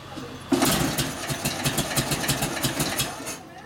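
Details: 1942 Harley WLA 45ci flathead after sitting a few years: burst of cranking with uneven chuffs that catch briefly then fade after about three seconds; almost runs but won't keep running, cause unconfirmed (carburetor mixture, spark or fuel questioned).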